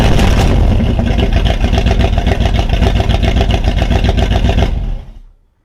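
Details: Plymouth Volare with carburetor, after 1,200 miles of driving: heavy, lumpy low idle with uneven chuffing near four per second, missing and stumbling; smells of gas, likely running rich, timing and carb adjustment needed.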